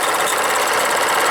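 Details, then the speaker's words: Model steam launch with Cheddar Proteus 4.5 cc Maudsley reversing engine and engine-driven feed pump, bypass valve closed and throttle opened: fast even ticking of the pump check ball over steam hiss, pumping normally. "Là ça pompe. On entend, c'est la bille."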